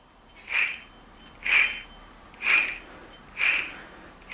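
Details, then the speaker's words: Old wheel bearing from a 2006 Jeep Commander XK spun by hand: a raspy, ringing whir swells with each spin. The bearing is bone dry and rusted, with its grease gone; while driving it sang above 30–40 mph like studded tires. Dry, worn, failed wheel bearing. "Alright, and going down the road, as soon as you hit about 30 or 40, I mean that thing was singing. It sounded like I had snow tires on, studded snow tires or something."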